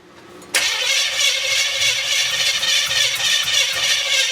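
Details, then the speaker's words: 350 SS V8 truck first start attempt, a spark plug just refitted. Even starter whirr for four seconds with no catch or pop; it cranks but won't fire. The owner suspects the distributor is off a tooth, unable to get enough advance. "I think we got to advance. I think that distributor might be off a tooth. I can't get enough advance out of it."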